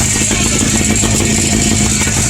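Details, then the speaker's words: 1957–58 Berkeley SE328 barn find with a serviced Excelsior two-stroke twin, first run after years parked: busy, buzzy two-stroke rattle at a steady speed, even and unbroken like a lawnmower. It is running fine, pretty good, before being shut down. "not bad that's pretty good all right shut it down"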